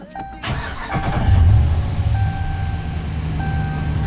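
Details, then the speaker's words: 2014 Ram 1500 5.7 Hemi after cam and lifter failure repair with new head gaskets and exhaust manifold bolts: catches after a brief crank and settles to a steady, even low idle with no ticking or knocking. "so now she runs good I'll start it up so here it's got new exhaust manifold bolts new everything new head gaskets started"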